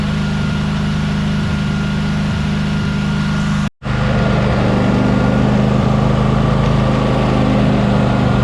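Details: Briggs & Stratton Vanguard 23 hp V-twin on a Husqvarna tractor, sat about a month: steady, even low idle thrum with a brief dropout midway; otherwise running normally.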